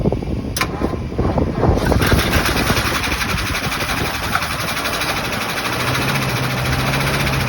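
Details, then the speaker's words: 1975 Ford F750 ex-firetruck, first start in many years, fuel pump drawing from a 5-gallon bucket through a 3/8 line: engine catches after some cranking and runs rough and uneven; owner then concludes the fuel pump is bad. "Just ran a 3/8 line into a 5-gallon bucket. Gonna put a little bit of fuel in here, crank it up, and see if she will run."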